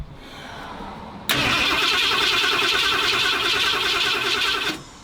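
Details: 1977 Ford F-250 Ranger XLT Super Cab, 460 V8, first start after sitting 19 years following an engine fire; owner unsure if the distributor is 180° out. Fast, uneven starter churn for about three seconds that never catches: it cranks but won't start, likely ignition timing.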